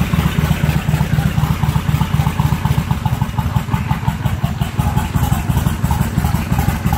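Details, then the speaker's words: 1996 Kawasaki Vulcan 1500 Classic V-twin, idling in neutral with the choke on: loping, steady, even pulses at a slightly fast idle, no misses or clatter; healthy. "Mike cranks right up in neutral yeah idles great right now I got the choke on"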